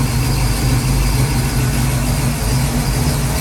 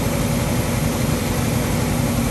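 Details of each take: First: Ford 289 331 stroker rebuild, second start-up, warmed up with oil pressure: deep V8 idle with uneven loping beat, wants to die, held up on the idle stop; the mixture screws need adjusting. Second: Ford 289-based 331 stroker, second start after rebuild, choke on: loud steady V8 rumble at fast idle with no valvetrain tapping. Idle is unsettled; owner suspects ignition timing is off after the distributor was reinstalled.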